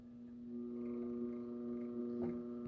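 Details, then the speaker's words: Snap-on YA205 MIG welder wire feed motor stalling; at about max speed it gets slower and slower, then stops and just hums with a steady electrical buzz. Owner suspects the control board driving it or a defective motor. "i think that's about max and it just gets slower and slower [Music] and then eventually it just like basically stops and then it just keeps"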